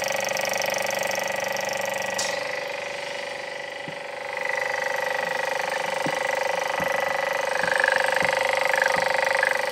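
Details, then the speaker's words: Late-80s vacuum pump testing lapped BMW N54 valve seats fails during the cylinder 2 test and stops pulling vacuum. Steady high whine dips, then faint irregular ticks start; owner says it is just broken. "Hang on, what have I done? The pump seems to have broken."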